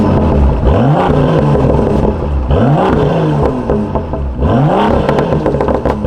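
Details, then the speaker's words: BMW M2 with M Performance exhaust, valves opened by remote in sport mode, after exhaust issues were fixed: three deep revs rise and fall cleanly, strong low rumble with no rattle or buzz; exhaust healthy. "all right there you guys have it's on super sick no rattling just nice and deep and pure can't complain"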